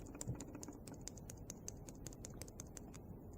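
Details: Mini generator engine with clogged fuel line and noticeable play, being torn down: light sharp ticks about five a second when flicked over by hand; clicking when turned over, cause not yet found.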